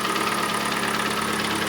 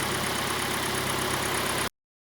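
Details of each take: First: Kia Sportage 2.0 G4NA, 150,000 km, AWD, automatic: a rapid, hollow knocking over the idle that follows engine speed. Pistons are slapping in scored cylinders; the block is to be bored and oil jets installed. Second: Kia Sportage 2.0 G4NA, AWD automatic, 150,000 km, after block boring and oil-jet installation for scored cylinders and piston knock, heard from outside: smooth, even, quiet warm idle with no knock or tick; engine healthy.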